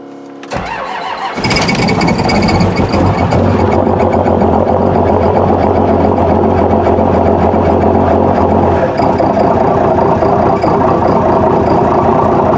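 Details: 12-valve first-gen Cummins Dodge cold start at about 15°F after waiting on glow plugs, electric fuel pump audible: brief crank, then catches at once and settles into a steady even diesel clatter; healthy cold start.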